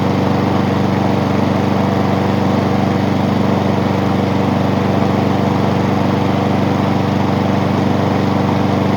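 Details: Honda small single-cylinder engine after repair, with everything now moving as it should after earlier loading up. Steady, even, fast regular beat with no surging or misses; healthy running.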